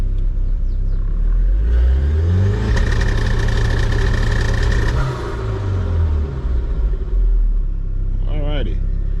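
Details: 1986 BMW 325i SR20DET swap on Link ECU, fuel-fix test: two-step launch limiter held via horn button, engine climbs and holds a steady popping rev, then drops back cleanly; fuel pressure rock steady; normal.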